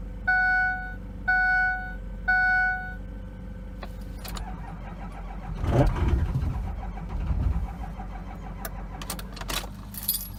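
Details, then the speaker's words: Ford F350 6.0L Powerstroke diesel, cold start at minus 22 °C, weak batteries, before injector replacement: three warning chimes, then a laboring crank dragging for seconds before the engine stumbles in; hard cold start from worn injectors. "few days batteries are weak my name the year old a warranty those hopefully she'll start she's gonna take a little bit to fire over try again here so you can see how hard it is to start"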